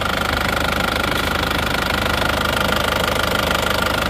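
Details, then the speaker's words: Grand Touring diesel at idle after blow-by (ngobos) repair; steady even clatter with a regular beat, no more puffing or chuffing. "suaranya seperti ini sudah tidak ngobos hasilnya juga top banget"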